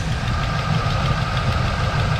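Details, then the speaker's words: 1984 Chevy El Camino V8 on a test drive: steady light ticking over the low rumble, consistent, so a slight valve lifter noise under one valve cover, probably driver's side, rather than an exhaust leak. "Sounds like it has a slight lifter noise under one of the valve covers here somewhere. I think it's going to be on the driver's side. And the reason I could tell that's what it is because it's consistent."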